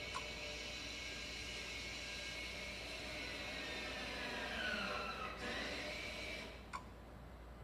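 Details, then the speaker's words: 2019 Nissan Rogue SV AWD, rear pads replaced, scan tool function pushing out rear caliper pistons: faint steady electric motor whir with dipping, rising tone; electric parking brake caliper motor running normally. "this function pushes out the rear caliper Pistons after replacement of the brake pads"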